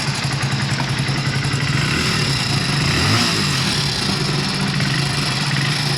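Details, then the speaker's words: Hero Splendor BS6 single-cylinder engine at idle with a loud metallic clatter over its thump from the timing chain, before removing the magnet cover to replace it; timing chain rattle. "आप इसका sound सुन सकते हैं किस तरह से ये timing chain आवाज कर रही है।"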